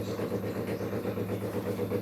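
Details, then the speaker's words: Brastemp 16 kg washing machine, about one year old, during water fill: loud fast throbbing rattle lasting a good part of the fill then stopping; owner suspects the water pump may be failing. "Esse barulho tá ficando até um certo período do enchimento depois que enche um pouco o barulho passa mas fica bastante tempo"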